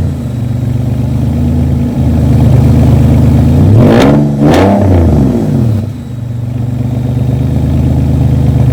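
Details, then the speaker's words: Modified Porsche 996 911 at start-up: harsh, barely muffled roar rising and falling with throttle blips, almost as if no exhaust fitted, possibly with a whistle suspected as an air leak; excessively loud exhaust. "So, the exhaust is super loud. I mean, it's almost like it doesn't have an exhaust, to be honest."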